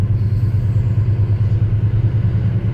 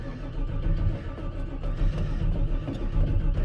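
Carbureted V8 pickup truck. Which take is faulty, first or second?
second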